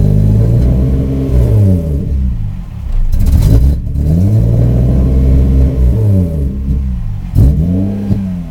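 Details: 1994 Subaru Impreza with an EG33 engine swap: at about half throttle, revs sag and stumble, then recover unevenly as if not firing on all cylinders. Intermittent power loss occurs cold or warm, with no check-engine light.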